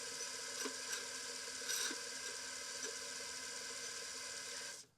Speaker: I'm going to press return. And what that will do is you'll hear the rattling noise. And then you'll see it will actually load up Apple DOSs 3.3. There's the noise. I can hear the heads spinning away.